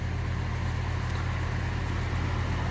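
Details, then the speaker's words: Home central A/C after the basement expansion valve iced up and began thawing and dripping: only a steady low fan drone, no compressor hum; the owner suspects the compressor shut off and hasn't restarted after about half an hour. "it sounds like the compressor shut off because this is also a lot quieter so i think the compressor shut off and just the fans running my opinion because the valve is now defrosting and dripping water"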